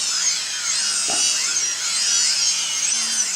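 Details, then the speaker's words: MultiWii 3D quadcopter with modified, reflashed Multistar 15 A ESCs, no props. Past centre throttle the motors click over between forward and reverse. High-pitched whine rises and falls smoothly with no stutter or cutting out. Normal motor speed response. "and then it starts going in reverse you'll hear it click as we go over the halfway marks are forward so that's a real fine line there and then that's forward and then you got reverse"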